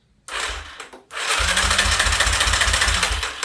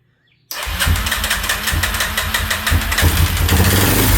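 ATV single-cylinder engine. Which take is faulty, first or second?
second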